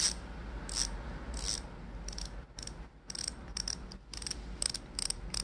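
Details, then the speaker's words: Bicycle rear-hub freehub body, disassembled and cleaned of its heavy grease to make the ratchet louder, then reassembled: bursts of sharp, crisp, rapid clicking as the wheel spins, with no grinding, like a revolver cylinder turning. Normal freehub ratchet clicking. "고급진 소리가 나죠? 꼭 우리 리볼버 총에 그 총알 넣는 거 그거 돌아가는 소리"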